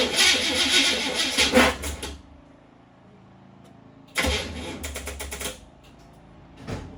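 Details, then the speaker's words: Vehicle fails to start on the key: two bursts of rapid clicking chatter and the engine never turns over. The negative battery terminal was found loose and the charger wouldn't charge; the terminal was snugged up. "any of you might know what that sound was so further inspection my battery charger didn't want to charge it this terminal ended up being loose so I got to Snug that up"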